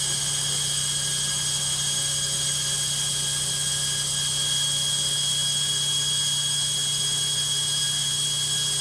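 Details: Logik washing machine on spin: loud steady whir with a fixed high-pitched tone over heavy rushing noise throughout; noisy spin, cause not evident.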